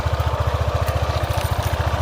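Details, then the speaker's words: Honda PCX 155 after 1 year of use, 11,000 km, not yet serviced, just back from a beach ride: steady idle with quick, even tick-rattle about thirteen beats a second on engine pulses; source unconfirmed, CVT disassembly suggested. "Ada bagian suara mesin yang letek. Ini belum diservis ya."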